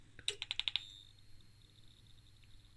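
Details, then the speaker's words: Danbridge JP12A 12 kV insulation tester (owner guesses 1985) with a melted resistor, voltage turned up: five sharp snapping cracks, then a faint hiss. Suspected high-voltage spark-over, probably in the cable, sparking to a solder point. "did you hear that it was definitely spark over somewhere and that is probably in the cable or in its scary [ __ ] huh"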